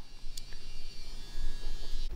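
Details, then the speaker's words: Garage refrigerator that had stopped cooling, plugged in after a thorough cleaning and drying (it had also been knocked over); steady low hum with a faint buzz as the compressor and fan run normally, cooling not yet confirmed. "plugged it in and everything seems to be running the compressor is running fan is running sounds like it's"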